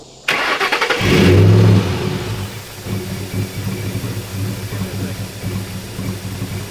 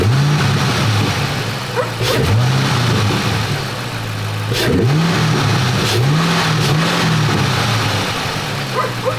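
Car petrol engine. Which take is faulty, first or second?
first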